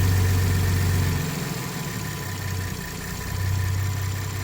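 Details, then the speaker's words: 2018 Ford F-150 petrol engine at idle just after cold start: faint light ticking rattle over the low hum, fading away then coming back; owner unsure if normal, suspects cam phasers. "that little rattling noise is it the cam phasers I don't know guys it's kind of coming back"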